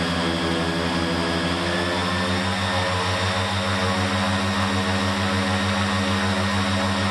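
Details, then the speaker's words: Raptor prototype aircraft engine, ECU-equipped, warming up on a ground test run for fuel-burn comparison, brought briefly to just under 3300 rpm then back to 2700: strong steady propeller drone, even throb, no stumbles; normal run-up. "so here's the engine and warming up and I'll let you have a bit of a listen to it as I bring it up to just a quick power under 30 300 rpm and then bring it back to the 27"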